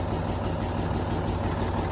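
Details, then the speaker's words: 1975 White 2-150 tractor diesel, started after 19 years, idling with a low, steady, even exhaust beat and no knocks after the intake was closed up and a muffler fitted; quiet, healthy tickover. "beautiful the thing's running really quietly now so I shut that intake up a bit"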